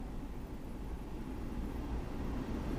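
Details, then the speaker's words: Land Rover Discovery 2 (2001) heater/AC blower motor, replaced with a unit from a 2005 model after the old one showed a burn mark and wouldn't run: steady even air rush with low hum on low fan, no rattles; new blower working normally. "guys hear that I got air coming down from the bottom as well all my controls work low fan and she's off right there low looking perfect"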